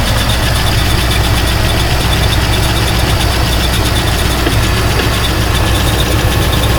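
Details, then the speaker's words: Buick estate car V8 off the road about 13 years since 2009, just started cold, now warming up: deep, even burble at a steady idle with no misfires, ticking or knocking; the engine is running well. "she looks really good running great so right now we have to just let her warm up that's going to be the big thing"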